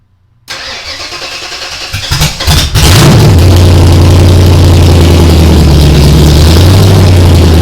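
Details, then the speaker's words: Ford Ranger rock crawler on first start after build, cold, open headers with no exhaust: brief crank, catches, settles to a loud, even, deep idle with no knocks or misses; starts easily and sounds good. "pretty easy sounds good"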